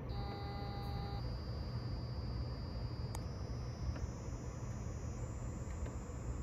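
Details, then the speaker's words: Transmission valve body electronic pressure control (EPC) solenoid in scan-tool bench test mode: a thin high buzz that steps up in pitch as the commanded value changes. The solenoid responds normally. "You could hear it buzzing. So let's go to zero. That's zero. See if you can hear it buzzing. You could hear it. It has a high pitch sound. Now it's changing the pitch."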